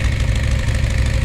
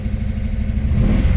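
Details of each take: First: Dodge Challenger 440 Six Pack V8 with an 833 4-speed manual: steady, slightly fast idle with a deep, lumpy exhaust rumble; the owner hears a slight thumpy rumble and is considering removing the packing from the rear mufflers. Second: Dodge Challenger 440 Six Pack V8 with an 833 4-speed manual: deep, even rumble through three quick throttle blips with no knocks or rattles, the whole car shaking; the owner hears a slight thumpy rumble.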